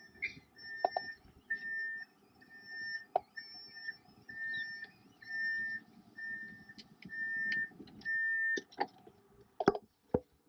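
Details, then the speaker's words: 2000 Fleetwood Pace Arrow Class A RV, main slide retracting with the key turned to the in position: steady, evenly spaced high beeps about one per second while the slide moves in; normal slide-out motion warning. "So I'm going to turn the key to the in position. And you can see the slide is sliding in."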